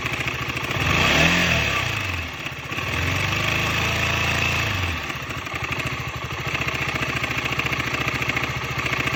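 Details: 2015 KTM 125 Duke single, 26,000 km: loud dull uneven rattle about three or four a second at idle and on a blip; timing chain tensioner worn, replacing it removed the rattle.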